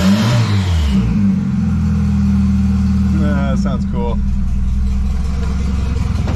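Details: $200 wagon, first start after fitting a new GMC Typhoon/Syclone turbo and priming the oil: a quick rev blip settles into a smooth, even idle with no rattles or misses. Healthy, though the factory hard oil feed line plug leaks.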